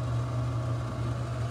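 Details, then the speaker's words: Kiln vent fan, plugged in separately and switched on for candling, steady loud-ish low hum with no rattle or wobble; running normally to vent gases burned off in the first 600 degrees. "The reason that we want the fan on while we're candling, while you're firing at all, is because, especially in the beginning, when you're burning off those physical materials like water and the organic matter in that first 600 degrees, it's gassing off, and we don't want that everywhere in the building."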